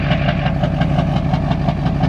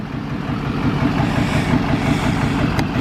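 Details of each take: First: Duramax diesel truck smoking at idle: even clatter with rapid, regular knocking pulses and slight unevenness; rough idle, owner suspects a dirty injector stuck slightly open, not confirmed. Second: Duramax diesel truck after Lucas fuel system treatment, previously smoking at idle: steady idle clatter of about three pulses a second with no stumbling or miss; idles smooth with no smoke, though owner thinks it still needs injectors.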